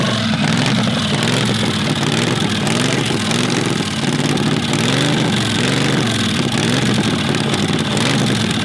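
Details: Predator 670cc V-twin dragster engine with billet flywheel, billet rods, ported heads and reworked carburetor, first start: loud idle that wavers and hunts unevenly; rough idle, vacuum leak at the intake suspected, otherwise sounds healthy.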